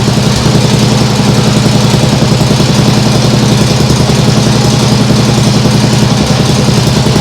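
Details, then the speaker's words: Nibbi G619 walk-behind tractor after carburettor work, throttle handle in lowest position: even, smooth low thump at idle like a sewing machine, no misses or knocks; maybe still an occasional hiccup but vastly improved. "well that sounds really nice now I think that might still be a bit of a hiup sometimes but it's definitely a vast Improvement"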